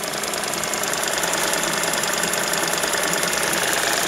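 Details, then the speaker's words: 2006 Suzuki DF50 outboard with 297 hours, cold weather, idling with a light steady tick about twice a second from the idle air control valve, a constant companion on these motors. "Вот, стучит, слышите, клапан холостого хода, неизменный спутник."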